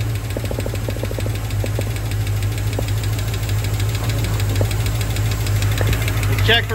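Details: 1966 Ford Mustang GT convertible V8 after sitting over 10 years in storage: low steady idle with only faint light ticking, no heavy knock; oil pressure reads high and no leaks seen; normal idle.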